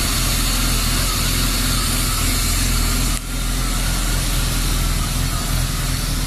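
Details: BMW E36 325i rough idle: a steady low idle with an uneven, lumpy beat and a brief dip. Earlier the MAF and throttle position sensor were replaced and the idle valve cleaned without success. The cause was a faulty oxygen (lambda) sensor, fixed by replacing it.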